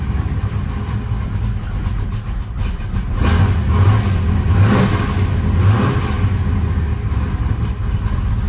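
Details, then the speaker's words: Cold start of a restored 1976 Pontiac Trans Am restomod with a 500hp 400 small-block Chevy, now staying running: loud, lumpy V8 idle with no steady rhythm and some kickback at start. Too much ignition timing is suspected, not confirmed. "however it doesn't sound right it sounds to me like the car has too much timing in it it doesn't have very good Rhythm"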